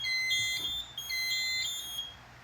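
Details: Home fire alarm panel during an inspection, with two-year-old batteries measured bad: steady high-pitched tone in short repeating bursts in a quiet room; trouble signal after the amplifier battery lead was disconnected.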